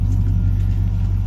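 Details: 1951 Chevy Styleline Bel Air De Luxe with a 5.3 LS swap, about 49 miles on the build, idling on a 42° morning after a clogged number seven injector was pulled and the stumble cured: a deep, even, smooth purr with no misses or ticks. Healthy idle.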